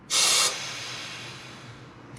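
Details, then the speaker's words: Mazda RX-7 FC3S intake pressure-tested by squeezing a hose into the bypass air control valve breather: sharp half-second hiss, then near silence; owner hopes it's air passing through the throttle body, leak point unconfirmed. "so if i squeeze it you can hear and i'm hoping that noise is the air passing through the throttle body"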